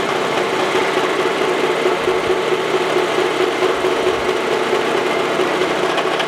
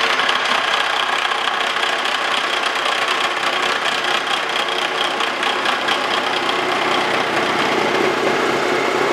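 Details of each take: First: Face mill on a Wells Index vertical milling machine, cutting tool post holders for an antique wood lathe: a steady, even cutting hiss with no chatter once back in a full cut after the interrupted cut, quieter and running smoothly. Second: Wells Index vertical mill with face mill skimming antique wood lathe tool post holders: metallic cutting hiss with fast tooth chatter as cutter crosses a hole. Interrupted cut, teeth hitting both sides.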